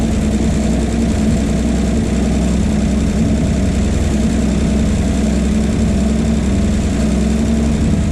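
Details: 1951 Chevy 1430 pickup inline six, previously seized, off road since 1976, running from a jerry can with idle turned up: steady, even idle with constant low drone, no misses or knocks; runs pretty good, though fuel pump is bad.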